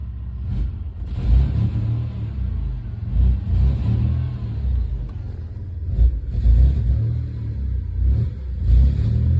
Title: 2000 4Runner 3.4, is this just a bad misfire?